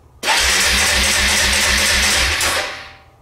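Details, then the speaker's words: Suzuki Eiger 400 ATV (2005–2007), in neutral, choke off then with throttle: starter whirs steadily with an even chug but the engine never fires; cranks but no start, spark or fuel suspected. "nothing should we try to give it some gas all right still nothing the engine is turning over you can hear it going but there's no ignition of the fuel and so the engine is not starting"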